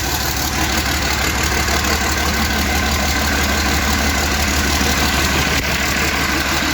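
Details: International 756 tractor with swapped-in DT360 diesel, not run for a few years: first start, steady even diesel clatter at settled idle with strong low thrum, no misses or stumbles; healthy running, water pump weep hole leak to check.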